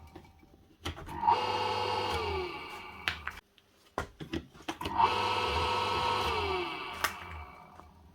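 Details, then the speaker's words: ShowFou submersible dirty-water pump with a broken power lead, plugged in to test before replacing the cable: motor spins up to a smooth, steady hum and winds down evenly twice; pump not seized, normal running. "so this should run nice and quiet but you should hear the actual impeller starting up yeah"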